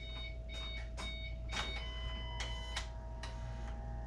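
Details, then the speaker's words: 1974 Mercury Capri with swapped 2005 Mustang 4.0 V6 and wiring, first start attempt at key-on: faint steady electric whine with light clicks as the fuel pump primes, pressure coming up to 10; normal priming. "I hear a fuel pump oh I got pressure we're coming up to 10."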